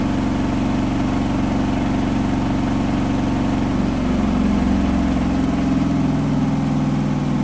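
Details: Hotpoint washing machine final spin at 1400rpm after a rolling bath sheet fooled the balancing and was thrown to one side: loud steady high-speed roar with heavy throbbing vibration, unbalanced load.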